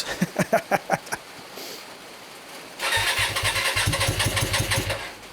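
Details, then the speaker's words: Hyosung GT125RC first start in two years after ultrasonic carb cleaning and wiring changes, no airbox, on choke: slow cranking, then a lumpy, uneven idle; owner suspects it is running on only one cylinder. "something is only one cylinder to me [Music] it did start up it did start up"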